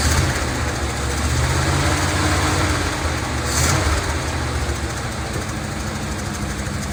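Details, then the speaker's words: 1970 Dodge D200 truck, vacuum hoses plugged with screws: rough idle with an uneven, wavering beat and a brief swell; surging, possibly lean after popping through the carburetor, cause unconfirmed. "it's surging a little bit so I noticed when it popped through the carburetor that it's possible that it had a lean pop"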